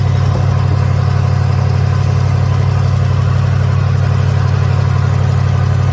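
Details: 1983 Hurst/Olds 15th anniversary Cutlass with 307 V8, parked since 2002, first run on fresh premium gas: deep, steady V8 burble with an even beat, no knocks or misses; smooth, healthy idle.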